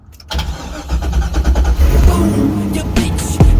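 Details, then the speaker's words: Corvette drift car, first start after fitting a new Bosch SR8581N starter: brief cranking, then the engine catches at about 3.5 seconds into a deep, steady run under loud music; starter and start healthy. "Oh my fucking God! The car! Fucking run!"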